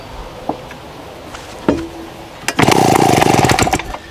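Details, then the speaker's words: Vintage small chainsaw, 23.5 pounds, straight-tube exhaust, restarted with a bit too much fuel: sharp pulls, then a brief loud uneven popping run that dies away; running rich from over-fuelling. "You hear that nasty snap? Sounds just like a crappy new chainsaw. Once more. Put a little bit too much fuel in it."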